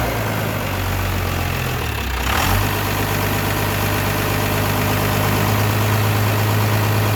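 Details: Cummins diesel (24v truck after P-pump reinstall, fuel system primed, electric lift pump) cranks and catches about two seconds in, then settles into steady even idle, low drone, no knocking.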